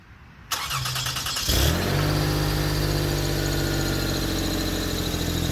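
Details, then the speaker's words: 2004 Toyota Sienna, start and idle: engine catches then runs with loud raspy hiss and puff, louder at the front than rear; exhaust leak at the suspected original factory Y-pipe, fixed by replacing the Y-pipe. "the Rory has developed a bit of an issue where it is louder in the front than it is in the back. I don't like that."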